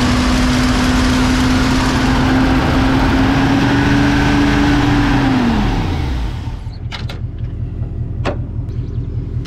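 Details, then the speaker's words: 1970 Mustang with Edelbrock carburetor being revived after sitting, vacuum leak earlier: steady, noticeably high idle then winds down and stops; idle set too high, possibly still a vacuum leak. "that idle is so high yeah well it's been it was adjusted for we're having a huge vacuum wage we might still have a vacuum"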